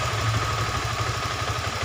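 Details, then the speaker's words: Honda Beat FI scooter with rough starting, weak low-end throttle and charging complaint, idling with about 0.1 V AC measured; small single ticking over with a lumpy uneven beat and steady whine, irregular idle, then revved slightly. "nggak beraturan ya stasionernya ya. Kita besarkan dikit."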